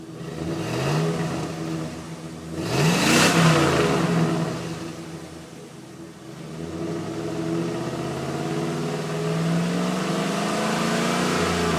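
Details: 1999 Chevrolet Silverado K1500 with a 5.3 L V8, phone recording by the tailpipe: a deep rumble that swells with throttle blips and settles back smoothly; a clean, leak-free exhaust.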